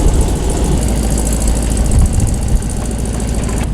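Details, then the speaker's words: Corvette just unloaded from a delivery trailer: deep, steady, even rumble at idle with no knocks or misses; engine running healthy. "Yeah, this one sounds. Damn, she sounds good."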